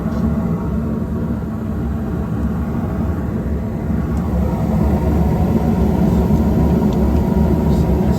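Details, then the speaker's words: Gas heating unit on a 16°F morning, just fired up after repair with gas pressure reading a little high: steady low roar after light-off, no popping or rumble surges; burner firing normally. "All right, we just fired up here. Gas pressure seems a little high."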